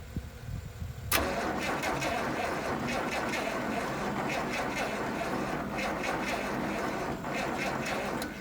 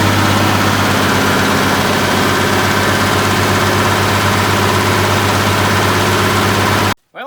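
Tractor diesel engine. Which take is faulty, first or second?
first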